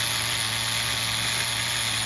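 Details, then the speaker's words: HPI MT2 nitro RC engine after leaning the bottom-end and richening the top-end needle; a steady high-pitched buzz holding an even single-stage idle, where a two-stage idle was heard before, with no sag, surging or misses. "I leaned the bottom a little and I ripped in the top a little and it sounds like now it's a single stage going a little bit richer just to be on the safe side"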